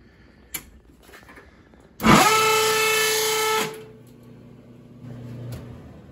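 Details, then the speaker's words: Whirlpool dryer with a loud steady squeal for about a second and a half and no drum spin; the drum belt had come off. "we have a Whirlpool dryer that doesn't spin the drum and just makes a loud noise."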